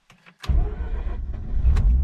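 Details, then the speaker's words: 2004 Mazda RX-8 rotary, revived after sitting for years with new coils, plugs, starter and fluids: on a cold start, clutch in, in neutral, short starter whirrs, then it catches quickly into a steady rumble. Engine light on, owner suspects secondary air pump. Normal start. "and it fires so you've got an engine light which I'll look into"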